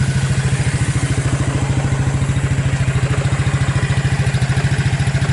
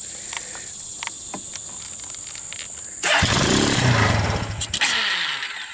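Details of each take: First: Abandoned Suzuki KingQuad 300 4x4 ATV after Mikuni to Keihin clone carb conversion, owner estimates about 1,500 hours/miles: steady, even thump about 3.5 beats a second, no misses; purrs right along, clean idle. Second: Abandoned Suzuki KingQuad 300 4x4 ATV, first start after converting Mikuni to Keihin clone carburetor, on full choke: a few seconds of cranking, then the single catches and revs unevenly before settling; sounds promising, choke to be reduced.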